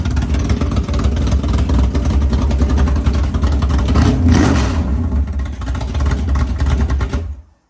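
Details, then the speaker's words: 500ci Indy Cylinder Heads big-block Mopar in a 1969 Barracuda, idling around 1000–1100 rpm: a choppy, loping big-cam idle, then a clean rev and shut-off. The engine sounds healthy. "You can hear the cam a lot better, even a little bit lower, like right at 1,000."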